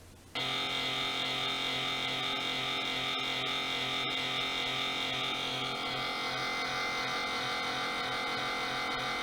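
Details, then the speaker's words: Laptop cooling fan growling and running below proper speed: a steady rough, raspy whir with a gritty buzz over the fan tone; the bearings were found shot and the fan needs replacing. "the other problem that the other fan had once when it was making some really bad grinding noises because the bearings were all worn out and here's what that sounded like from my"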